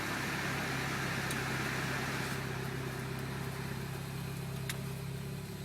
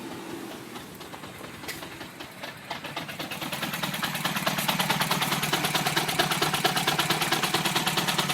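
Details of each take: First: 2007 Mini Cooper S R56, JCW Stage 1 kit, just over 60,000 miles, after a cold-start stumble: even idle just under 1,000 rpm after AC is turned off, ignition advanced a bit, no stumble; owner suspects the high-pressure fuel pump. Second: 2007 Mini Cooper S R56 with JCW Stage 1, about 60,000 miles, cold start after sitting overnight: lumpy idle stumbling about three pulses a second, as if firing on two cylinders; check engine light on. Owner suspects the HPFP and will try spark plugs.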